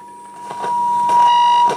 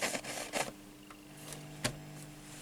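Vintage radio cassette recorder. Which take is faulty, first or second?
second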